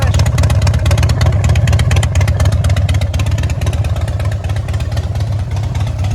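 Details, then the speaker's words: 2006 Harley Dyna Wide Glide after a coil swap, still running cool. Uneven V-twin lope with an occasional miss and a cutting-out stumble on throttle; front cylinder runs 30–40° hotter than rear. "And I can hear it missing every now and then, but it's better. When I give it throttle, you hear it trying to cut out."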